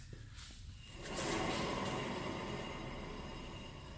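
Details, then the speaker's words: 2013 Subaru XV Crosstrek, 119,000 miles: second rear wheel spun up gives a rough swelling growl, even louder than the first side; worn rear wheel bearing grinding, both rear wheel bearing and hub assemblies to be replaced. "so i'm pretty sure you heard it perfectly it's absolutely clearly confirmed i have to unfortunately for him replaced both rear wheel bearings"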